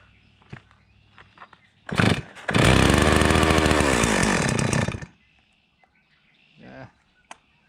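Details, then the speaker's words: Chainsaw that only runs about a minute at best: fires and screams for about two and a half seconds, then sags and dies and won't catch again; chainsaw bogging. "same as last time oh you boggy no bug no it just runs in bogs at the best you can get it run for like a minute or so"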